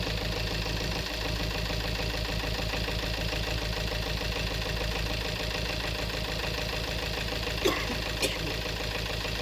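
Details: 2018 Peugeot 3008 diesel at idle, noisy engine and many fault codes; loud, busy clatter, rougher than normal; scan shows injector number one reading 1.17 against about 0.78 on the other three; faulty fuel injector.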